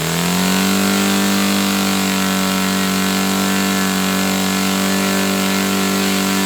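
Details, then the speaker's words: Saito FA-300T twin-cylinder glow engine, glow driver off, high-speed needle set 2.5 turns out. Revs rise quickly, then hold a smooth, steady buzz with an even beat. Both cylinders are firing cleanly: normal running. "Both are firing now. Okay, so both cylinders were firing then. It was sounding good."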